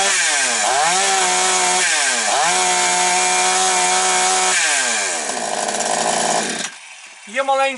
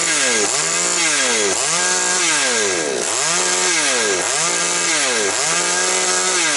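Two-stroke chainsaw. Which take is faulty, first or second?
first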